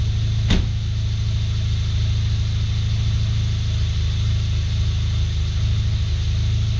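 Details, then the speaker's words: VW MK7 just after oil and filter change, new filter, O-ring and cap, no leaks: steady even low hum after start-up, no knocks, ticks or misses; normal cold idle. "You can hear the car's running pretty good right now."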